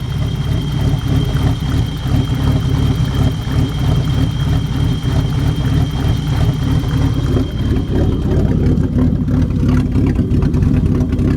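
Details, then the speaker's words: BMW E30 with hard starting and flooding, fuel and temperature gauges wandering until warm: deep, uneven idle that lopes and stumbles about three times a second, like a cam engine; lumpy idle, cause unknown. "Sounds like it's got a cam in it. don't know what causes that."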